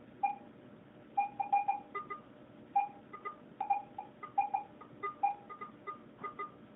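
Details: Garrett AT-Pro metal detector air test with a 1941 silver Mercury dime at about 7–8 inches, reading ID 78–80. Clusters of short chirping beeps as the coil passes give a clean, steady, normal target response.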